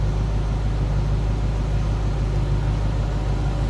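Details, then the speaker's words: 1993 Chevrolet Corvette 40th Anniversary Convertible, LT1 V8 idling, heard from the rear: smooth, steady low rumble with even pulses, no ticks or misses, stock-sounding exhaust, nothing over the top; normal idle. "Slip around to the back so you hear it run. Sounds like a stock LT1. Nothing crazy or over the top as far as the exhaust"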